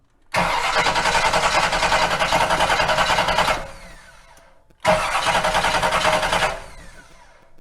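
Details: 1957 Chevy V8 after sitting for years, first try with a little fuel poured into the cylinders: two bursts of steady cranking at about three and a half turns a second, never catching. It acts like there is no spark; suspects are coil wiring or the high-performance starter.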